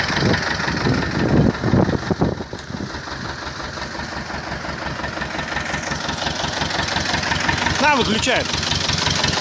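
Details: T-25 tractor diesel engine after repair, normal idle: steady chug of roughly three beats a second that settles after revving, no knocking or misses; engine runs healthy.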